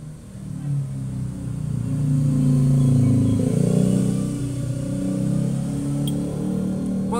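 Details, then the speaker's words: Polytron refrigerator compressor with snail-type overload: steady low hum and heavy buzz, then sharp click as overload trips on high amperage; compressor cannot turn because start winding is open, so it only hums. "hanker ini startnya ini putus sehingga tidak bisa muter jadi hanya dengung saya coba lagi ini tapi tidak muter"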